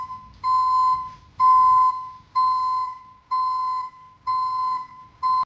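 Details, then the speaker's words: ECCO 530 backup alarm newly installed on a Silverado pickup: loud steady beeps near 1 kHz, about one per second, evenly spaced; reverse alarm sounding properly. "from what you just heard um the uh recording doesn't do it justice I mean it sounds like a commercial um backup alarm like you'd hear on a"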